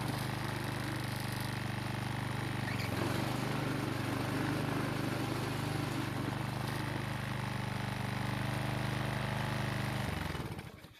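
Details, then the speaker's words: Husqvarna walk-behind trimmer after carburetor refitting, previously wouldn't start: small engine holds a steady, even buzz for ten seconds then cuts out cleanly; starts and runs normally, no misfire or surging. "well it seems to be starting and working just fine now"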